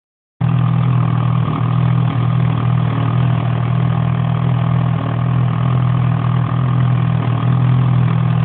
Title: 800 etec piston slap? Engine warm